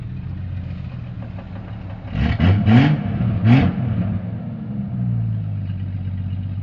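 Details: Jeep Cherokee XJ 4.0 High Output: low rumbling clatter swells with each rev blip and settles back at idle; noise traced to the torque converter, not the engine.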